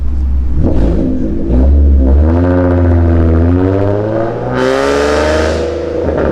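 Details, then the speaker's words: Catless V6 Ford Mustang, catalytic converters removed and fully straight piped, recorded on a drive past a road: a loud, harsh, trumpet-like raspy drone that rises in pitch as revs climb under throttle. Exhaust rasp from the catalytic converter delete. "It almost sounds like a trumpet. This V6 full straight pipe Mustang. Sounds fully straight piped."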